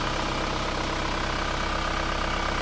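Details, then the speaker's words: Isuzu Panther diesel engine idling evenly with a smooth low rumble and no hiss after the blocked PCV valve in the valve cover was repaired; crankcase pressure now vents properly, a normal healthy idle. "demikianlah teman-teman, apabila katup PCV itu sudah berfungsi dengan baik, itu akan bisa mengeluarkan tekanan gas di dalam kalter sehingga sudah menjadi netral kembali."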